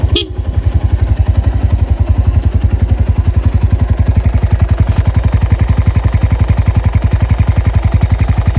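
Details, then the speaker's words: 2012 Honda Tiger Revo single-cylinder GL engine, about 5,900 km from first owner, revved: crisp, tightly regular, dense exhaust beat, clear and dry with no ticking, knocking or odd noises; normal healthy engine. "Suaranya masih jernih banget om, khas mesin GL. Kita dengerin geberannya ya. Suara mesin GL masih kering."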